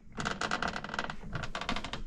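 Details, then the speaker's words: 2013 Can-Am Commander 1000 that no longer goes into gear, engine off, wheels turned in neutral: rapid, irregular clicking and scratching like a mouse chewing inside the transmission; same in high and low with no resistance; internal damage suspected. "But we put it in neutral and it spins freely. Did you guys hear that? Sounds like a mouse in there chewing."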